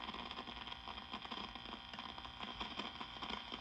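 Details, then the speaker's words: 1952 Wards Airline AM tube radio, all capacitors replaced and 50C5 tube swapped without change: constant irregular popping and crackling over faint hiss; a bad connection inside the 12AU6 tube suspected. "So, the problem was not the 50C5. You hear the popping and the crackling that this thing is doing?"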